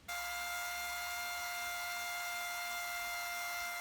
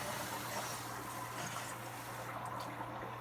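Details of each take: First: Drummond transfer pump, after draining a 50-gallon water heater in about 15 minutes, running dry: loud steady high-pitched whine with sharp tones. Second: Water heater tank being refilled after draining brown water, cold supply reopened: steady, even hiss of water rushing into the tank with a low electrical hum underneath; normal refill flow.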